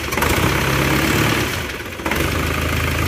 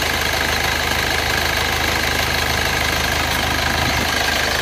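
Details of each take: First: Isuzu Panther diesel just rebuilt with cast liners: rough, chuffing idle clatter with a brief dip. The engine itself is smooth, but the exhaust flex pipe leaks and the exhaust gasket is badly worn. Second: Rebuilt Isuzu Panther diesel with cast liners, on Fox Titan oil, after a round-trip drive to Blitar: steady, even idle with no smoke. A squeak, suspected from the fan/AC belt, was doused with water; the engine now sounds smooth.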